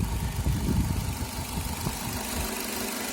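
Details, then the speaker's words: Renault F4R 2.0 petrol engine at 30,000 km, idling just after an oil change to Elf 5W40: faint steady high tone and uneven low rattling. Cause was the oil dipstick not fully seated. "после замены масла завел машину появился посторонний звук двигателя"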